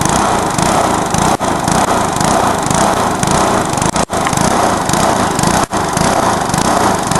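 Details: Briggs lawnmower engine deliberately run to destruction, with nitro added, after a backfire: screams flat out with brief stumbles and cut-outs until it lets go; over-revving engine failure.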